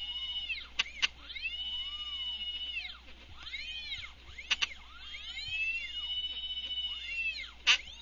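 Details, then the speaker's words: Stepper motors bolted to a steel plate, driven by a GRex controller at 65 kHz and 5000 mm/min feed: high whining tones sweep up and down with faint resonance rattle from the plate; normal whine, no apparent lost steps. "as you can hear from the motors they tend to whine out a bit as they go and these are bolted to a steel plate so you'll hear a bit of rattling going on in the background as they resonate when they hit the resonant fans"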